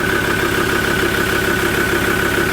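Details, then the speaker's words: Ford Ranger automatic idling after transmission and torque converter repair: steady, even idle with a constant hum and no knocks. It runs fine, though the engine may be missing when cold; a glow plug is suspected from a fault code. "Well, that's all done and she's running fine."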